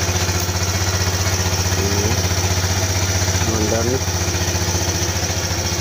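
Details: Kawasaki Z125 that died during long straight rides, now running again: even, steady single-cylinder idle, about four pulses a second, no stumbles or dying out.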